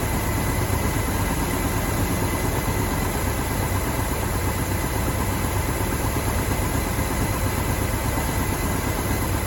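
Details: 1969 Mach 1 Mustang, apparently a 302 V8 with decent cam, sat almost 10 years, running despite suspected ignition-switch wiring trouble: deep, steady idle with even lope and loud clutch-fan rush, no knock or misfire; a bottom-end knock developed only later.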